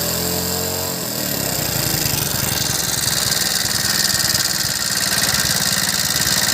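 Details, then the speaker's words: Hero Passion Plus motorcycle after repair of a loud tick-tick engine noise: engine catches and settles into a steady, even idle with no knocking or tapping over the exhaust beat; sounds healthy. "अभी हम गाड़ी start करते पहले इसको sound नहीं ए रहा है"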